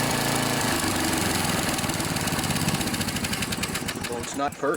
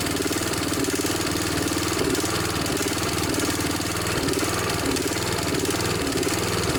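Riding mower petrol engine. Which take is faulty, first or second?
first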